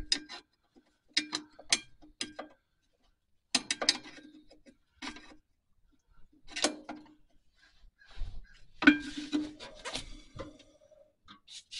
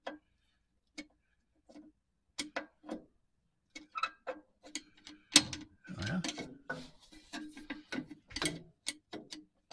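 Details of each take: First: 1949 Chevy 3100 pickup Huck drum brake adjusted at 3000-mile maintenance: drum spun by hand about one full rotation gives short soft scraping rubs as shoe lightly contacts, nothing binding; properly adjusted. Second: 1949 Chevy 3100 pickup, Huck drum brakes being adjusted during 3000-mile maintenance, wheel spun by hand in a quiet shop: scattered light scraping ticks as the shoe starts dragging on the drum, until the wheel barely spins.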